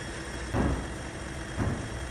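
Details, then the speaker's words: Timken test bearing under load, protected by lubricant: a low, even rumble with a soft surge about once a second and no squeal; smoother, less straining, with less friction. "Now, if you listen closely to the sound, you can hear that it's a lot smoother. And there's less sounds of straining, and there's no squealing. So you can tell that the parts already are moving a lot better with a lot less friction."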